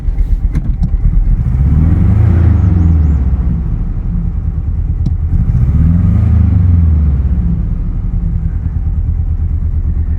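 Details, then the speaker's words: 2000 Chevy S-10 at first start, service engine soon and low fuel lights on, strong oil pressure: low, rough idle that lurches and stumbles. A bad misfire; owner suspects an oil-fouled plug because the engine was overfilled with oil. "it runs a bit rough oh it's a bit rough service engine soon low fuel lights on we got oil pressure a lot of oil [Music] pressure so we got a bad Miss"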